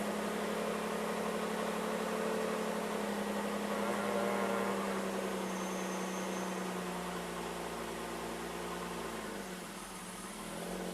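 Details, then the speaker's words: 1995 BMW 325i sitting unused four years, cold start: low idle hum wavering and sagging instead of holding steady; rough low cold idle, owner suspects clogged or failing ICV and/or throttle body vacuum leak, idles fine once warm. "Okay, now it's idling by itself a little rough. It's a little low, which is why I think I have a clogged or failing ICV."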